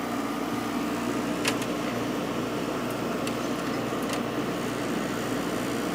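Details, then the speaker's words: Freshly installed 7500 BTU Fetters window AC (Rotorex compressor, faster-spinning fan) in a very warm upstairs room, compressor starting right up; steady low even hum with a few light clicks, quiet; normal compressor running. "So, compressor should start right up because it's super warm up here. Yep. Sure"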